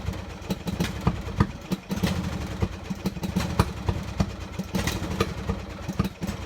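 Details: Poulan riding tractor single-cylinder engine: uneven chugging with stumbling firing pulses at idle; ran bad even after spark plug change, then wouldn't restart; owner suspects the carburetor.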